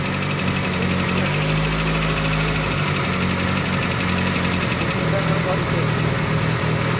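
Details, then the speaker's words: Engine after honing the loose camshaft bearing cap to fix rocker-arm noise: steady idle, smooth low hum, no valve-gear ticking — noise gone, normal; carburetor tuning still pending. "Wala na yung maingay. Nabawasan ka na ' ba? Okay na y"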